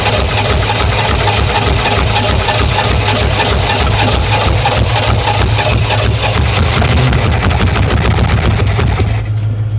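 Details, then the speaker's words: 1968 Oldsmobile Toronado 455 big-block V8, first start after about 46 years sitting, fuel poured into the carburetor: chugs and sputters with an irregular, lumpy beat that never settles; running rough, thought to be too much fuel. "she's alive he is alive I think we got too much fuel in there right now"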